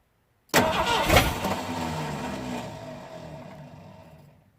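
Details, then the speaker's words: 1979 Ford F-150 Ranger XLT, 351M V8, restoration start attempt; sharp engagement clatter, then a fading whir as the starter spins without catching and the engine never fires. Starter slipping and not engaging, works better on a full battery; owner suspects a new starter is needed. "we need to figure out what the problem is with that started it's not engaging properly it works better on a full battery"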